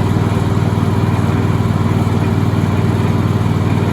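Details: Cub Cadet LX42 XT2 Enduro lawn tractor, model 13AZAICS010, with a fuel-injected Kohler twin and 42-inch deck, blades engaged: steady, even twin-cylinder drone with no knocks or misses; normal mowing.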